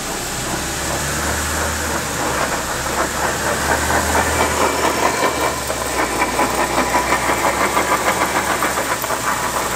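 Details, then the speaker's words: 2012/2013 BMW X3 F25 on a lift, in Drive with a little gas: rapid rhythmic grinding and clanking at about three beats a second from the front axle shafts; the front differential has failed. The customer thought it was the brakes. "so as we can hear the noise is coming from the front of the vehicle at the front axle which is powering the front wheels those actual shafts that are spinning at the front connected to the front differential where our noise is coming from"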